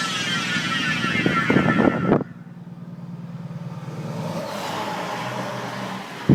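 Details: Chevy Volt, started suddenly while driving: whine falling in pitch as the car slows, louder under regen and also during acceleration, from the failed plastic "B" bearing between electric motor and gas engine; replaced with a metal bearing.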